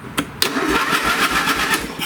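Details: Old late-1980s/1990s lawn tractor right after a used safety switch replaced the broken one and is tested via the brake pedal: the starter engages at once, spinning the engine with a brisk, even chugging rhythm; normal cranking, though the carb later floods.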